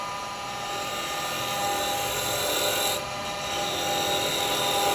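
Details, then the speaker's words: Woodturning a candlestick 7 inches out from the chuck into end grain with a 6mm carbide cutter: harsh, raspy buzz with a shrill ring, chatter from cutting on the side of the cutter instead of the tip. "know if you come on the side because it'll go like that. It'll make that noise."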